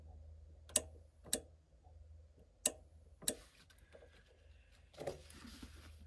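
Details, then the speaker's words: Lennox furnace with ECM blower motor: four sharp relay clicks over a low hum with G and R jumpered, wiring connected, but the blower never spins up; blower motor has failed and is replaced. "right so we hear the relay clicking fan motor and it does appear and all the wires coming from the fan motor are connected"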